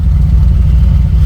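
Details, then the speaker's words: Chevy C20 with built 408 small block carbureted for boost, still warming up at idle: deep steady even rumble, no misses or hunting; AFR about 12.7–13, 20 in vacuum at idle, mixture good. "that's pretty good 20 in of vacuum at idle mixtures killer"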